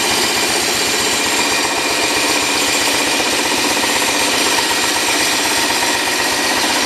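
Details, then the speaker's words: 1971 John Deere 140 H3 idling in neutral just after a replacement carburetor was installed. A harsh, loud clatter at about four beats a second rides over the idle, coming from the front. The cause is suspected, not confirmed. "no idea what that atrocious noise is i'm sure i know what it is it's up in the front"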